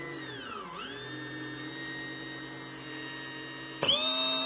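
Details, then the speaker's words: FPV power setup with a battery series switch, set to the 2-cell position at full throttle: steady, fairly low motor whine at even pitch. Normal running, low rpm on the lower-voltage pack. "I'm on to sell full throttle you can hear it's very low rpm because only on this to sell"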